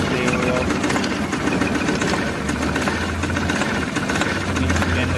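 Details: Mahindra Supro van, over 100,000 km, idling: uneven, stumbling misfire beat. Scan shows trouble code P0341-00 camshaft sensor signal error; wiring checked, and a replacement sensor is being tried.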